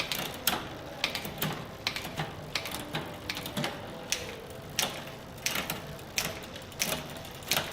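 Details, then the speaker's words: Bicycle rear derailleur in a repair stand after cable tension adjustment: light steady ticking with crisp chain clicks through the shifts, no grinding or rattle; clean normal shifting. "should sound nice and crisp and that's it you are done ready to ride"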